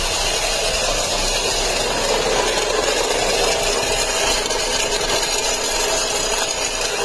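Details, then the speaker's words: 2009 Saturn Vue at idle making awful noises: harsh steady metallic knock/clatter, far louder and sharper than a normal idle, judged bad. "all right I got a 200 2009 Saturn view in today and it's making some God awful noises so let's see if you guys can guess what's wrong with this one"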